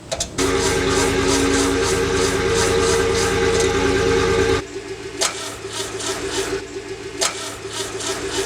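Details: 1974 VW engine after head work and new rings (205K distributor, Pierburg mechanical pump, Solex 30PICT-1): steady starter whir about four seconds, no firing; cranks no start, fuel pump was plumbed backwards.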